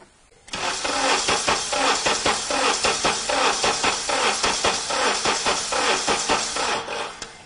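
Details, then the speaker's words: Car cranking with ignition coils disconnected in clear-flood mode: uneven chug, some compression strokes noticeably weaker than others; definite low compression. "it should be blatantly obvious to you if you have even watched a handful of videos on this channel that car has an absolute definite compression problem and that is um going to be bad news for sure"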